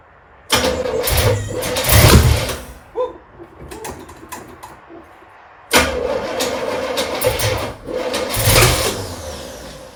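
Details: Trans Am, first start after install, some grounds not yet connected: two long cranking bursts with an uneven, stumbling catch each time, separated by a pause; engine struggles to fire cleanly, cause unclear.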